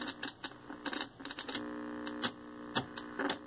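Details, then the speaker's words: 1973 Toshiba C321 13-inch hybrid tube/transistor colour TV after power-supply recap, first power-on with poor video and sync: irregular sharp crackling snaps over steady mains hum; high-voltage arcing inside, later heard from the tuner area. "a little bit of arky sparky as you can see we still have pretty poor video response and very little sync we definitely got something arc in here"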